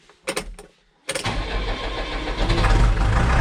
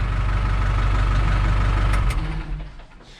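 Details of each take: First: New Holland TS100 tractor diesel after fuel filter change, air in fuel lines; died after a minute, electric pump cycled to build pressure: a few short crank bursts, then it catches and settles to steady even idle. Hard starting from air. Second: New Holland TS100 tractor after a fuel filter change, fuel pump cycled to build pressure: steady low diesel chug at an even beat for a couple of seconds, then it fades; the engine had started and then died after about a minute.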